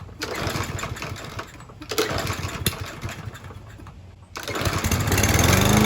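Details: Troy-Bilt TB110 push mower, Briggs & Stratton 550 E engine, freshly refilled with 16 oz semi-synthetic oil and Seafoam-treated gas: tough to start, sputters and surges unevenly, dipping and catching, then settles into a lumpy idle. Rough idle, not too bad.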